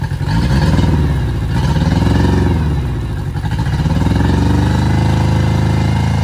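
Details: Yamaha 60 hp outboard on a Bay Craft 17'5 skiff, first start, steering cable not connected: strong even exhaust note rising and falling with throttle blips, picking up cleanly; healthy.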